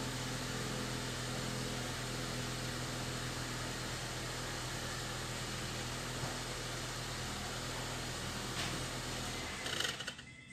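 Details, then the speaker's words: Honda New Civic after the whistling exhaust was fixed: an even, full engine roar held steady for several seconds, then dropping off, with no whistle left; the exhaust sounds healthy. "Fala galera tá esse bicão para resolvido o problema tá aí deu um pouquinho trabalho para achar"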